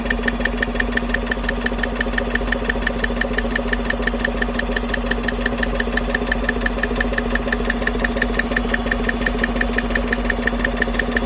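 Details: 2015 Chevy Silverado 5.3 idling with the coil packs and passenger-side rocker cover off; steady, sharp ticking over an even idle. It is traced to a loose DOD cylinder 4/6 lifter, with roller rocker needle bearings suspected, not confirmed.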